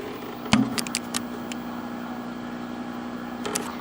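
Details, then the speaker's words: Packard Bell MQ625 vintage tube TV, high voltage up but no sound: only a faint low steady hum and a few clicks; audio dead, traced to an open plate resistor on the 11BM8 audio output tube. "there is still no sound at all"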